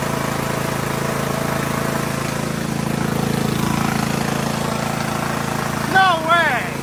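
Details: Poulan Pro PP175G42 riding mower that sat outside for years, key-started on battery cables, no milky oil: it idles with a smooth, steady beat and no misfire or knock under faint voices. It runs healthy, though the breather hose is disconnected.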